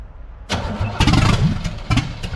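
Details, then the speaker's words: 1966 Corvette Stingray 327 V8 cranking with uneven weak sputters that never catch; all plugs firing, owner suspects spark plug wires one position off on distributor, ignition timing wrong, so it cranks but won't start. "it's not a major issue because I put my finger on every single one of these they're all firing so they're all getting hot I I think I might be off one spark plug wire here"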